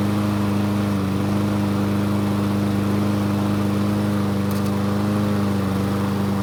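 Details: Craftsman push mower engine running after the carburetor was found faulty, blade sharpened: steady, even drone with no misses, surging or knocks. It runs cleanly after the repair.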